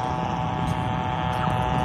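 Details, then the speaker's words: Ham radio receiving power line RFI about a block away: steady buzzing hiss with low hum from faulty power line hardware, fading strongly when the antenna sweeps away from the line. "you can still hear the noise but then if i sweep over here the noise is mitigated extensively so it seems to be over on the power line side"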